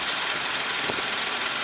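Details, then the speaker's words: 1947 Dodge idling after finally starting, on a cold day: loud steady high-pitched rasping from a dry, slipping drive belt, going quiet with WD40; engine itself purring smoothly with no knock or vibration. "all that noise you hear is actually just the um the belt if I spray a little WD40 on the Belt it just goes really quiet the engine itself is just purring along no vibration it's lovely"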